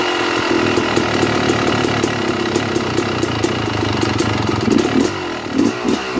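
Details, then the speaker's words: 2009 Yamaha YZ250 two-stroke at idle, pilot air screw closed too far: uneven wavering beat sagging as if about to stall; too rich; correct setting is just before it tries to die. "all right now did you hear how the bike was trying to die off as i was closing the air screw down"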